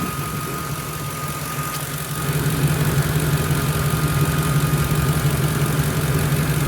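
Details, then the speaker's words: Ford F150 with 2.8 engine, idling during inspection for start-up smoke: steady thin high whistle over an even idle; unsure if alternator, later checks PCV inlet tube vacuum; source unclear. "hear a little bit of whistling I don't know if that's the alternator or or what"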